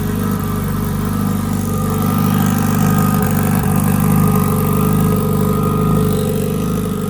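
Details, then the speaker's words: Turbo Honda Integra at its first 2024 start, with fresh oil and transmission fluid and last year's spark plugs. Idling to cure the powder-coated exhaust, with good oil and fuel pressure. Loud, steady, even idle with no knocks, misses or rattles. Normal idle. "So the car is running right now. I'm just letting it idle because with getting the exhaust piping coated with powder coat, I do gotta do like a bacon period cycle."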